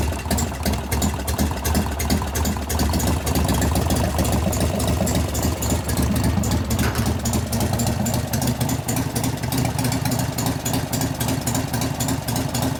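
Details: 1988 Harley-Davidson FXR V-twin, pushrod adjustment in progress: loping idle with fast, fairly even light ticking on top, heard at the rocker arms and lifters; lifter noise, with the knock getting louder.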